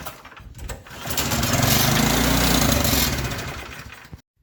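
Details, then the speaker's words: Snowblower that won't start, pulled after spraying starter fluid into the spark plug hole: fires and runs hard for about three seconds, then fades and dies, showing fuel isn't coming through the carburetor; carburetor to be cleaned. "so that's it if it does start for a short time and then die you know that it's a fuel problem because you are bypassing the carburetor giving it fuel directly and it runs until it burns off what you've given it"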